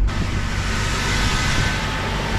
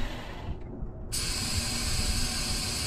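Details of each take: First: 2000 Toyota 4Runner with 363,000 miles, first start after fuel pump replacement for a crank-no-start: engine catches and holds a smooth, steady run with no stumbling or misfire; running properly now. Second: 2000 Toyota 4Runner with 363,000 miles gives two bursts of even cranking that never fire. Fuses checked OK, the tank is full and throttle body spray was tried. Diagnosed as a bad fuel pump, then replaced.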